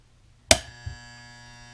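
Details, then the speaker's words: 240 V HVAC compressor contactor, 120 V per phase, energized: sharp clack as it pulls in, then steady coil hum from the electromagnet, normal buzz, though this contactor is being diagnosed as faulty. "you can hear the coil buzzing in the contactor that's because it's magnetically it's an electrical magnet uh pulling in the uh contacts"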